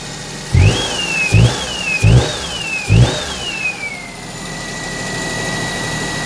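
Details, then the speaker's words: Perodua Kenari with newly installed alternator belt, power steering belt not yet fitted, under full electrical load: four quick revs with a faint whistle rising and falling; no chirp or squeal from a loose or worn belt. "But it's not making the chirping loose belt sort of a noise or worn belt."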